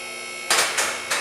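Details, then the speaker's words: Shop lift raising a 1967 Ford Mustang 302 with C-4 transmission slipping in forward: steady motor hum with sharp metallic clicks about a third of a second apart; lift safety locks staggered to be counted, engaging normally. "If you get them all hitting at the same time, if you have a failure with one or something, one of them gets messed up, you won't hear that click. So I like the click, click, click, click."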